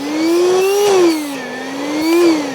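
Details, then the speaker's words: Cordless stick vacuum, cleaned and charged, on trigger: clean, smooth motor whine rising and falling with no rattle, grinding or stutter, with reasonable suction; healthy motor. "and it actually has reasonable suction. So, I think it's not a bad machine."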